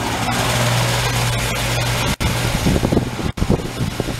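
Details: Original 17-year-old Goodman outdoor heat pump, rusted by salt air and leaking Freon, before replacement: steady low hum with even fan rush, no rattles or surging, still running.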